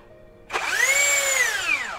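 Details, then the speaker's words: Cheap rebranded brushless drill before repair: whine climbs sharply on trigger pull, holds with a coarse rough edge, then falls; rotation is heavy because the rotor rubs the stator, and forcing it can damage the control module. "jadi ini putarannya berat Kenapa berat karena bergesekan antara Rotor dan stator"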